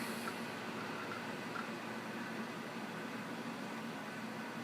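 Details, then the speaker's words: Dell Optiplex 760 (Core 2 Duo E8600) running after its coil-whining power supply was replaced with a Dynex 400 W unit: a soft hiss, faint hum and hard-drive chatter with no whine left, quiet and healthy. "Nice and quiet. Other than the loud ass Hitachi hard drive I have in it. It's not bad."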